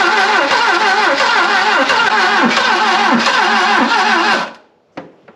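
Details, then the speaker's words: Barn-find Saab 99 start attempt with fuel pumping. Slow, uneven cranking at about three turns a second with a few cylinders catching, then it dies without running; the owners suspect battery voltage drop and fetch a jump pack. ">> Nearly. It's firing. >> Promising. Yeah, >> it's firing for a minute."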